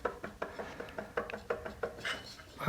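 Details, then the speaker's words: 1978 Series Land Rover donor engine during a timing belt change: loose, irregular clunks as the water pump shaft is rocked by hand. There is heavy play in the whole shaft, and the water pump bearing is worn out. "masses of play it's not this it's not this bully that's the whole shaft this is the water pump in here yeah and that's knackered"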